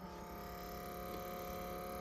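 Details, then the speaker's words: 1990 Jaguar XJS convertible, Delanair Mk3 climate control on a bench rig: faint, steady little whir at even pitch, motor operating normally. "uh if I turn the temperature knob I don't know if you can hear that but there's that motor what that does is it varies the temperature from hot to cold"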